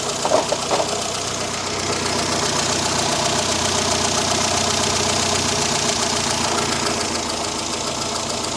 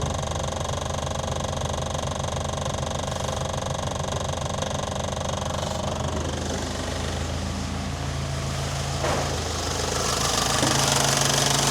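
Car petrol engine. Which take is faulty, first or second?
second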